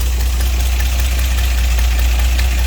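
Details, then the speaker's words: 1963 GMC K1000 4x4 V8 rough idle: dense rapid clatter over heavy low rumble, not valve clatter but a blown exhaust gasket leak, to be fixed. "fix this exhaust leak that's all that racket you hear it ain't the valve's clattering this uh exhaust gasket is blown out"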